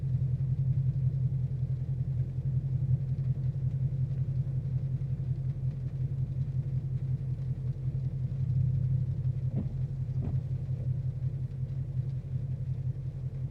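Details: 2014 Mustang GT Premium V8 at 22k miles: smooth ~700 rpm idle periodically drops to 500, shudders, then spikes to ~1,000, every 30–45 seconds, coinciding with the cooling fans switching on, with a few sharp clicks; rough idle with rpm dip.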